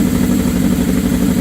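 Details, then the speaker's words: 1979 Suzuki GS750 motorcycle after a year not running, rebuilt carburetors and teardown; strong, steady idle with a firm even beat through open pipes, no misfires or rattles; running better than in years, normal idle. "But, man, I haven't heard this girl talk like this. Wow. I haven't heard this thing run like this in years."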